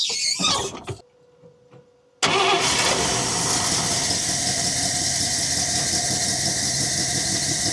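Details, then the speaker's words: 1961 Buick LeSabre V8 after fuel line repair and priming: short squeal and cranking, then it catches and settles into a steady, even, smooth idle with no stumbles or misses; normal idle. "All right, we finally got it primed and it's running again. Sounds like it's running real smooth now."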